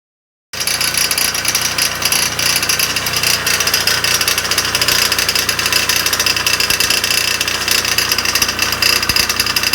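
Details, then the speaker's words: Dental air compressor in a basement utility room, heard on kick-on during inspection: harsh, steady rattling clatter with an uneven beat, a really terrible noise far too loud; cause not yet known. "Now, when I was down there, the compressor kicked on and it made this really terrible noise."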